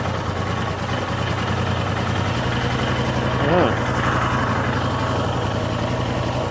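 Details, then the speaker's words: Royal Enfield Himalayan, about 6,000 km, freshly fitted new valves after exhaust valve problem, valve clearances just checked, first start around -10 degrees: even single-cylinder idle thumping at low pitch, only faint light valve ticking; quiet, healthy normal idle. "I think this is going to be as quiet as it's going to go I'm really happy with it"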